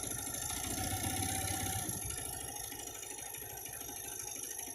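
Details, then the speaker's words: Honda Beat automatic scooter: a harsh, rapid ticking rattle, about three per second, over a steady idle, mimicking piston or cam chain noise. The cause is a loose spark plug that was not tightened enough. "Cok busi ini sudah longgar. Businya ini apa? Businya ini oblak."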